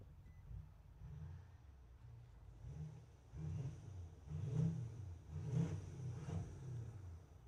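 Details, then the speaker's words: Nissan Titan at idle with low fuel pressure light flashing and check engine light: uneven heavy thumps about once a second, intermittent misfire with knock that smokes when it misfires; cause unconfirmed. "It's going bump, bump. You hear it? Yeah, listen to it. You'll hear it. Hear it? There. Yeah, it's misfired. And when it misfires, it smokes too."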